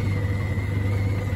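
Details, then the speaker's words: Samsung DV80M50133W 8kg heat pump tumble dryer with SC error, drain pump tested while checking pump and hoses: steady low hum with faint thin whine, even and unbroken; pump running and moving water normally. "that on like that it doesn't take much for it to work you can hear it pumping"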